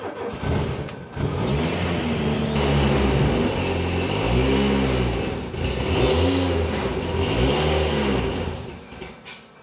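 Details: Citroen BX 4TC Group B start: clutch in, ignition on, fuel pumps switched off once primed, enrichment used; it is hard to start because one pump pressurises the hydraulic suspension, brakes and steering. It fires after a short crank and takes several clean, even throttle blips.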